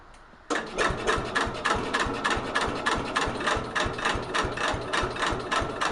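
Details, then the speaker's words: 1964–70 Cub Cadet 70 tractor with new engine, cold start around 10 degrees, battery on charger, choke stuck closed: starter chugs slowly, three to four beats a second, no catch; battery suspected weak. "The battery doesn't sound good. This thing sounds like it's going to start a fire."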